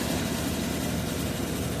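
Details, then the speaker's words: Whirlpool washer WTW4816FW3, bought new July 2023, circuit board already replaced: dense rough grinding over a low hum throughout spin; no water released, so it spun a second, longer time. "after making some of that loud grinding noise. So it went to spin cycle twice. The second time is longer than the first time."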